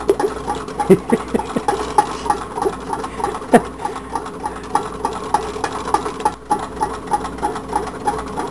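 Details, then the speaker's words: Tin-can Stirling engine running on a stove; slow regular metallic tick about three times a second as the displacer strikes the can bottom, after the glued adjuster tube slipped; crank lobe short, so displacer doesn't reach the top. "let it run a while I can hear the display should catch at the bottom what I'm figuring it's not coming up all the way"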